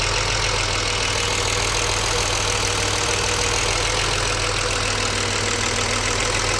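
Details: BMW 635CSi E24, warm at about 80% operating temperature after refitting the air hose to the throttle body and restarting: steady, even idle with no hunting or stumble; it earlier shuddered and stalled on throttle.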